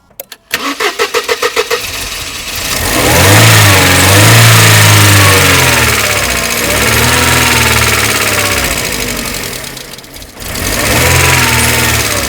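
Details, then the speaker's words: Mercedes SLK left standing for a decade: the starter turns about 1.5 s, then the engine catches and revs unevenly; it only keeps running while the fuel pump relay is held engaged by hand and cuts out on release; faulty relay suspected. "Right, so as soon as I let go now, it cuts out. So I'm having to like re-engage that relay to get it to carry on running. So when I let go of it, that's when it cuts out."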